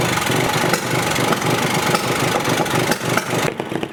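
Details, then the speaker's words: Polaris RZR 170 UTV, 169cc four-stroke single, warmed up before carburetor adjustment, tachometer on spark plug wire: fast, busy, uneven idle clearly above normal; idle speed set too high, to be turned down to about 1700 rpm. "so it's pretty obvious to me that the idol is running real high and therefore it looks like the little tachometer is much more accurate and the phone app is way off"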